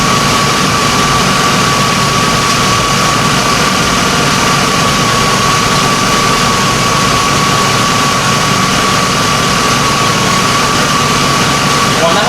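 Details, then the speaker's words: 2004 Chevy Avalanche 5.3 V8 just after its first start following engine work: smooth, steady idle with an even hum and no knocks, ticks or misses; it started on the first try. Normal idle. "right now it's idling perfectly no check engine lights I've had it running from one hour no check engine lights"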